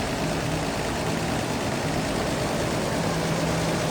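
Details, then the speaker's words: 1987 Toyota Land Cruiser 4x4 FJ60, 4.2 L inline six with Weber carb, manual, heard in the engine bay: steady, even low rumble with no knocks, misses or surges; purring right along, normal idle. "In power steering, power brakes, AC's cold, 4.2 liter inline six, purring right along."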